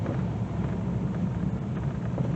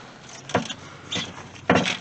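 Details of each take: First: 2000 Dodge Durango, about 162,739 miles, night test drive: steady low road rumble at slow speed with no clunks over speed bumps. The rack-and-pinion steering still needs replacing. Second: 2000 Dodge Durango, about 162,739 miles, body being rocked: three hollow clunks about a second apart; the loose underslung spare tire is shaking in its carrier. It is to be tightened back up and rechecked.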